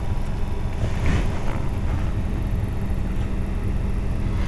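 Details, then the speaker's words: 2010 Toyota Tacoma HVAC blower at low fan speed. A steady low droning hum from the dash, intermittent and less noticeable at higher speeds; heat and AC work, and the blower motor is suspected and to be replaced. "obviously when you turn it up it gets faster and it's a lot less noticeable when it's on its higher"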